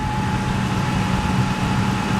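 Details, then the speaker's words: Old V8 truck's first start of spring after sitting with a low battery: steady, even low rumble with no misses or knocks; under 2 minutes after start it already idles smoothly. "That's nice and smooth. It's like not even 2 minutes, it's already starting to run smooth."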